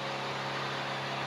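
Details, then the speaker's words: Sinleader DP-24 dual-pump battery box sprayer (M6 V2), both motors turned down to half on mist spray: soft steady low hum with light hiss; quieter, runs cooler, saves battery. "ini kalau kita dua motor kita putar setengah jadi seperti ini segini Segini kalau sebenarnya kalau kita mode di mode semprotan kabut seperti ini udah sangat memadai ya jadinya e pompanya tuh kerjanya hanya setengahnya"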